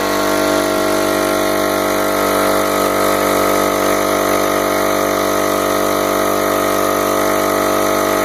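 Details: Home Depot mid-grade air compressor after replacing failed reed valves with HL4000 kit: steady, even pump chug with constant drone, no knocks or rattles; runs smoothly after repair.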